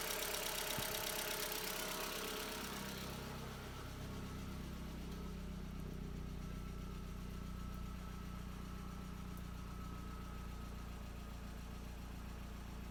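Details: MK4 Jetta 1.8T first start after blown head gasket repair with replacement head, new timing belt, water pump, thermostat and temp sensor; cranks, catches first try, settles into steady even idle, no knock or misfire; smoky, owner suspects valve cover leak.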